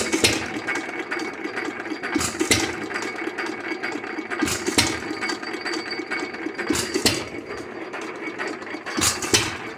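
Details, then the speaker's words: Lauson 2hp hit-or-miss engine, first run after cam gear replacement, old cam seen wobbling badly: sharp firing pops every couple of seconds with quiet coasting between, even hit-and-miss cycle; runs as it should. "we make a sounds good runs good I'd leave her"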